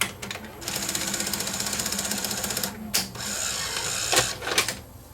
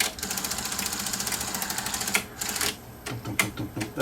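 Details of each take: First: Sony SL-HF900 SuperBeta VCR after repair, having played and rewound a full 3-hour tape: fast even ticking whir then loading clunks, still slightly noisy, possibly from a split gear; normal tape mechanism operation. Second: Sony SL-HF900 SuperBeta VCR, previously serviced elsewhere, noisy when loading and unloading: fast, even chatter, then heavy irregular thumps from the black plastic gear under the transport, not yet broken or slipping.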